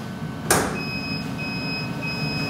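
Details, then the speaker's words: New SkyfireCNC SVM1VMC CNC milling machine at first power-on: a click, then a steady high-pitched controller alarm tone over low cabinet fan hum when the emergency stop is thrown, with light on top; emergency stop alarm. "So, with the estop on, it alarms out. The light comes up on the top."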